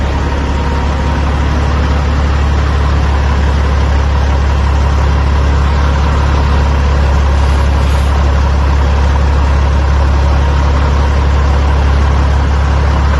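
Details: 2004 Kenworth W900L project truck with CAT C-15 diesel, just started before being brought into the shop: deep, steady idle with even pulse, no knocks or misses; runs as it should, normal idle.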